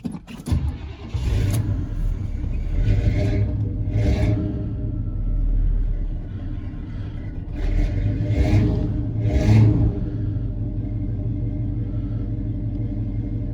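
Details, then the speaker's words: 1986 GMC Sierra Classic 2WD square-body pickup, cold start after sitting, driven the day before: short crank, quick catch, a few throttle blips, then a deep, even idle with no knocks or misses; normal cold start. "overall it runs really well i'll go ahead and crank it now i drove it yesterday so you'll be able to see what it typically cranks right like when it's been sitting on a cold day"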